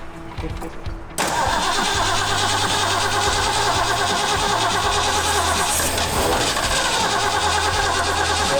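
After a short pause the starter spins steadily while the V8 coughs unevenly and tries to fire over music, fuel just primed into the carburetor.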